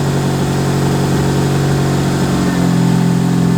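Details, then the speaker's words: Old turbo Mitsubishi Lancer after full build, idling with a steady smooth hum and no exhaust puffing or ticking, rising slightly near the end; much quieter than before. "Dude, it's so much quieter."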